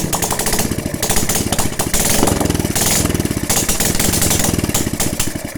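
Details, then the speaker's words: Honda Supra X 125/Karisma single after repair for white exhaust smoke: crisp, even firing that picks up cleanly as throttle opens, no misses or rattles. Runs healthy, no more smoke. "hai hai Hai heal hamdulillah motornya sudah bisa hidup kembali dan penyakit keluar asapnya tidak Hai ada ya jadi"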